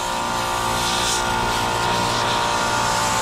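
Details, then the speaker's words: Multistack modular chiller, circuit one found at 0 psi and charged with nitrogen from the high side for leak search: loud steady hiss of gas rushing out at a broken copper pigtail fitting; large refrigerant leak, to be brazed. "all right the leak is right here on this pigtail huge leak you can hear it you can feel it"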